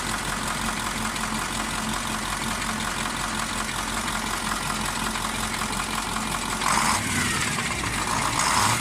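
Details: KamAZ 740.13 diesel idling with a sharp rhythmic knock located by ear near cylinder 8. It quieted but did not stop when injector line 8 was loosened, and scoring was found on the cylinder 8 liner: piston knock.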